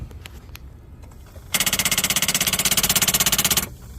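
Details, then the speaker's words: While cranking, a rapid, even clatter at about four per second comes from arcing at a corroded battery terminal clamp; Coke poured on it boils off from the heat. The battery itself was fine. "okay that's an example of a bad terminal connection uh my customer poured some coke on it that's what you see kind of boiling off there but it gave us a Telltale sign we're just we're just arcing in here and the heat is boiling that coke off"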